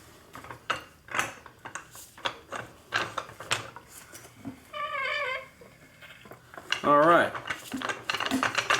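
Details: Harbor Freight 3-ton floor jack test pumped after greasing pivot axle zerk fitting: irregular ratchet clicks and light clatter, no grinding or binding; works normally.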